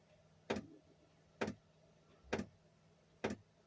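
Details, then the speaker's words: Chinese diesel air heater temporarily refitted after losing heat and throwing E10: glow plug lit, dosing pump ticking steadily about once a second over faint fan hum, yet cold air and no heat; suspected contaminated fuel. "okay there you go the pump has um started i fitted back in temporarily as i said the um the glow plugs lit the pumps pumping cold air no air no heat at"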